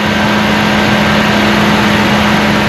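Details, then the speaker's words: 2004–2008 Dodge Ram 2500 5.7L Hemi just after water pump replacement, heater on full: steady, even idle with a constant hum and no belt slap or squeal. "okay now it's time to fire this old girl up going to start it up put the heat on full blast"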